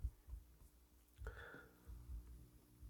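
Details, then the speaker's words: PreSonus FireStudio after cleaning, left main output into a Laney amp cranked all the way up: only a faint low steady hum under handling thumps, far less than the earlier humming on that output, so the fault is essentially fixed. "I hear a little bit of a humming but not like before and I think it's because I got this cranked all the way up"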